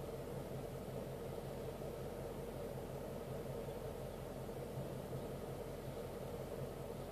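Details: 2012 Ford Mustang GT at idle: quiet low idle hum with faint uneven pulse; owner questions a rough idle, cause not pinned down.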